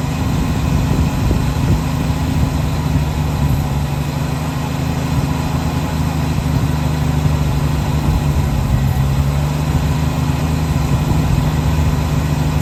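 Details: 1966 Chevrolet C10 shortbed farm truck, last licensed 1979, first start after long storage: the old inline six holds a steady low idle on its own, an even rumble with no stalling or surging. Normal idle.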